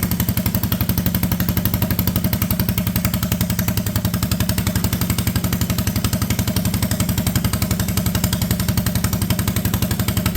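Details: Honda Odyssey go-kart frame with a cheap replacement single-cylinder engine and new clutch setup, park brake set: even, steady thumping at constant idle with no misses, knocks or surging; healthy idle.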